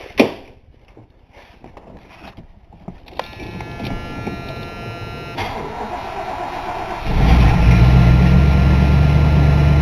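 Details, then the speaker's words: Old Ford LTD V8 started after replacing the plug wires and spark plugs to cure a miss. The engine cranks, catches at about seven seconds and settles into a steady, even idle with no missing; it has not yet warmed up. "so far so good i'll open up that big door and let her run till she warms up and then see what happens"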